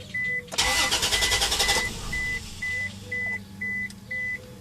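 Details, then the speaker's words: 1998 Isuzu Rodeo V6, zero fuel rail pressure after shutoff, needs pedal pumping to start: long cranking before barely catching, chime beeping; runs fine with pressure once started, cause in fuel system unknown; hard start. "it will not hesitate no problems at all it's only hard to start but while it's running uh now we get pressure you know"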